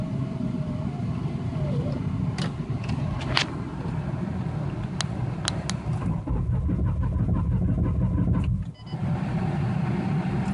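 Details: 1993 Ford Taurus SHO, manual. Fuel pump, filter, crank and cam sensors, plugs, injectors, ignition module, coil pack and CCRM have all been replaced. Steady, even cranking for about ten seconds never fires; the check engine light goes out while cranking, spark is present, fuel delivery is unverified.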